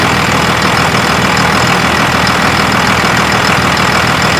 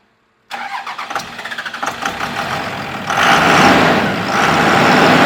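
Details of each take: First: 2001 Dodge Ram Cummins 24-valve diesel with VP44 pump idling after RTV rubbed on the serpentine belt at the alternator: loud steady idle, even clatter, belt squeak gone. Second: 2001 Dodge Cummins 24-valve with VP44 pump: diesel cranks, catches and settles to a rough idle with a thin squeak over it from a slipping serpentine belt.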